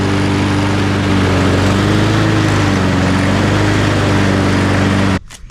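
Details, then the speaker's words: Husqvarna AWD self-propelled mower unused for 3–4 years, after a carburetor replacement: the small engine runs at a steady, even speed for about five seconds, then shuts off cleanly with no surging or sputter. "It seems to work great, so I'm gonna call that success."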